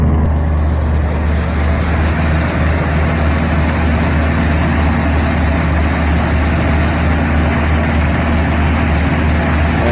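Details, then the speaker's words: Simple basic carbureted truck tuned for winter, choke almost fully open (about 3/4), mic down by the exhaust: smooth, even low rumble holding a steady raised speed with no misses or knocks. Normal fast idle during warm-up. "but now I'm going to show you the uh the choke is almost open all the way and we're still on fast idle"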